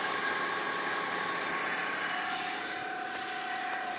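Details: BMW 325i at cold start: a thin, steady whistle-whine at constant pitch over a quiet idle, which goes away once the engine warms up; source unknown.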